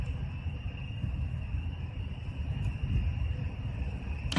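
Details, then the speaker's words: 2003 Neon heater blower motor, tested with direct wiring while diagnosing no airflow: smooth, even high-pitched whir, steady with no scraping, rattle or wobble; motor works fine, so the fault lies elsewhere. "el motor está funcionando está perfecto entonces el problema ya no es el motor el problema es otro"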